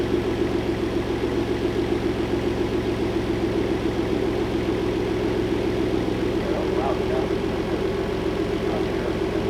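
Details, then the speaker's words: Boosted car after its rod-knocking engine was replaced with a new one: smooth, steady idle with an even low pulse and no knock or tapping; normal idle. "cele I put the hood on running without knocking I'll take the celebration"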